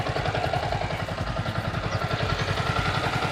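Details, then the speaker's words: Yamaha Vixion (old model) hot idle after 10 minutes warm-up, following new water pump seal and bearing; steady, even pulse about three and a half beats a second with no squeak: normal hot idle. "Nah, ini mesin udah panas. Aman, tanpa suara decit-decit ya."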